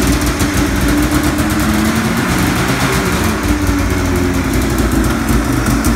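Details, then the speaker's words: Used snowmobile (ZR) with about 3,500 miles, heavy rust, exhaust leaks, cracked hood, oil leak, loud clunk noted on startup: loud raspy two-stroke revving with rough ticking chuff over the exhaust note; source of the noise unknown. "She's fine. I don't know what the fuck that noise is."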